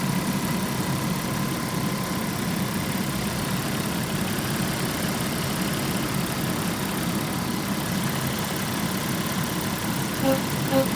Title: B5.5 V6 weird noise trumpeting or rubbing 2